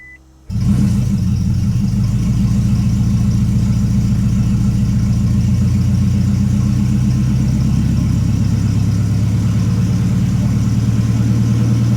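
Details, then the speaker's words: 2008 Toyota Prius after in-vehicle engine rebuild and timing job, cranked with injector connectors unplugged, airbox off and MAF unplugged: fast, steady ten-second crank with no firing; fuel cut so it does not start, as intended. "All right, it did not start just like we wanted it to, so it failed again."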